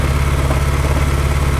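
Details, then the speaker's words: Salvage-auction Ferrari misfiring at idle: coil harness unplugged on cylinders five and two to test ignition, idle turns lumpy with a regular low beat as that cylinder stops firing; change confirms ignition on those cylinders is good, vacuum leak test next. "got the harness I've undone it and it definitely has changed"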